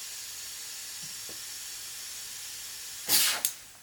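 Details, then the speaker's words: Turbocharged car breaking up under boost, pressurized with a homemade boost leak tester: steady faint high-pitched air hiss, then a short sharp rush of air at the intake; boost leak found at a coupler. "I'm hearing a slight bit of air right here at the intake. So, shoot. It's not a big issue, but maybe."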